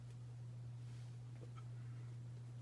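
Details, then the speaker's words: Hampton Bay Cameron II Plus ceiling fan, built 12/1999, started on high: loud, steady low hum and very slow running. Failing capacitor causing the motor hum. "probably hear that humming and yes that is from the fan"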